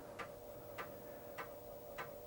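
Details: Amiga booting Kickstart 1.3 from a copied floppy: soft, even clicks about every 0.6 seconds over a faint hum; the floppy drive stepping and reading normally.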